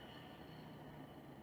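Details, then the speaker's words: Electrolux LTE12 washing machine motor, removed (belt off) and run directly on the bench, cold on first run: steady rough hum with low grumbling whirr from a worn motor bearing, the cause of noise during spin. "Então pessoal, quando pegar a máquina com esse barulho semelhante, realmente é o rolamento do motor."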